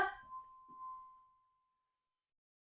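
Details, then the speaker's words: Peterbilt truck after shutdown, air dumping as pressure drops low: a single steady mid-pitched moan fades out over about a second as pressure bleeds away, suggesting an air leak somewhere in the system; the cause is suspected, not confirmed. "I'm sure that's exactly what everybody wanted to hear was the truck moaning"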